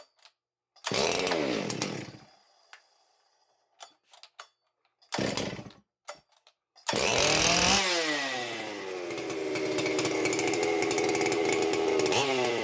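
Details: Ported Stihl 064 85cc two-stroke chainsaw, freshly rebuilt with muffler baffle removed and medium deflector, first start after build: a few pulls, brief catches, then fires and settles into a loud crisp steady run; starts and runs well.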